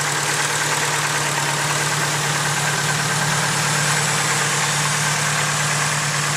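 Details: Ticking at idle from a fully built engine, starting a few months after the build: steady idle with a light, quick ticking about two per second, like a noisy lifter in the top end; cause suspected, not confirmed.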